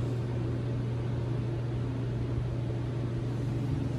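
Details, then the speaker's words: HeatStar 50,000 BTU gas garage heater firing for the first time after horizontal vent kit install: even burner roar over a steady low hum, no pulsing, rattling or surging; running normally with first-burn smoke and smell. "i started to fire up there guys the burner is going on now pretty exciting there she goes"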